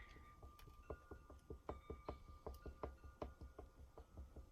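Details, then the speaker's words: Rear axle just after new wheel bearings were pressed in, hub off and crown nut not yet tightened, rocked by hand: uneven dull clunks, two or three a second, as the shaft moves. Suspected axle end play, possibly a worn axle or housing; unconfirmed. "my question is is that going to vanish once I get My Hub back on and get the crown nut down tight or have I got another issue here either with the axle or maybe maybe my housing has gone out of spec"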